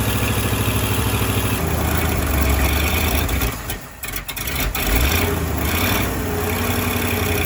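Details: Firetruck V8, warm near 190 and kept from running hotter until a fan is fitted: smooth, steady low idle with even beat, no knocking or banging; timing set roughly, fine tuning to come; normal warm idle.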